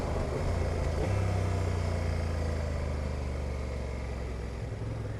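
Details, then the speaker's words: Honda NT1100 DCT on road at low speed, decelerating: low twin drone drops sharply in pitch about one second in; abrupt automatic downchange. "have heard the down change there was quite abrupt they're back on the gas and the up changes are very smooth"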